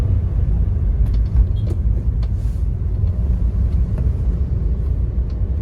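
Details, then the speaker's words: Toyota Avanza E 2015 test drive with AC on: steady low road rumble, no clunks, knocks or whine; suspension, transmission and differential quiet, only a door rattle noted; power good. "Kaki-kaki aman, nggak ada bunyi-bunyi. Transmisi nggak bunyi. Gardan juga aman, nggak bunyi."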